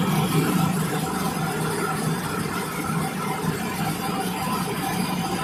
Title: How does a bearing failures makes noise....take a look. #bearingfailure #motor